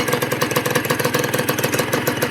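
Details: Honda NSR150 RR-W two-stroke, freshly rebuilt, fitted with a split N4 pipe and power valve closed: starts easily, good compression, crisp even popping idle with no misfires; normal idle, run in 1,000 km before use.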